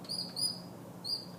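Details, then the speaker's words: Honda CB350 engine with a rebuilt, timed top end, turned by hand near top dead center: high, bird-like chirping squeaks, three in about a second and a half, with stiff rotation on one stroke; cause unknown. "r it squeak see it sounds like there's almost a little bird in there and now we're at right top dead center"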